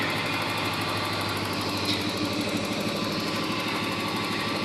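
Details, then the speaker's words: 1987 Porsche 928 S4 V8, serviced, at idle: steady idle with light, quick, even clacky ticking on top, unchanging; injector tick, not valvetrain noise; engine sounds fine. "just like any cars, even on these old BMWs, they they have a little bit of a clacky sound, but it isn't a mechanical uh tick, so it isn't upper valve tray noise. It um it is truly just the injectors, but other than that, it uh purr along just good, perfectly fine."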